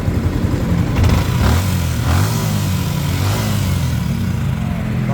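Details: Yamaha Sniper 155R: even, steady idle with no ticking or knocking after the loose tensioner, blamed for a loud knocking while riding, was adjusted/fixed. The top end now sounds quiet and healthy.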